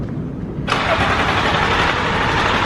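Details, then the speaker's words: Car that would not start: engine catches abruptly and settles into a steady, even idle without stumbling. "know what kind of stupid [ __ ] always come up with but I always figure these things out the card just started"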